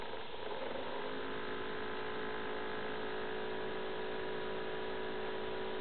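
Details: Acer Aspire 7730G laptop: steady high droning whir with a faint tone barely changing; the cooling fan runs far louder than it should, cause not found.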